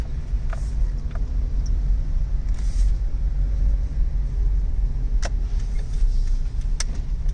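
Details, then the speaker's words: Worn outer tie rod ends on a Corolla, both sides bad: occasional sharp clunks over a low rumble as the car moves and steers, before replacing the tie rods. "You'll hear it clunk. See? Both of them."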